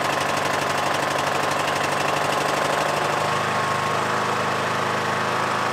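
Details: Yard Machines MTD lawn tractor, 20hp Briggs single-cylinder OHV, first start after magneto bypass for no-spark no-start; fast, steady, unbroken beat with no misses or knocks, charging 14.5V and rising: normal running.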